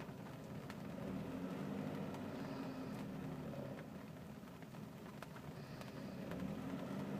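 Low idle with an uneven, lumpy pulse and small surges rather than a steady beat; the engine is idling roughly.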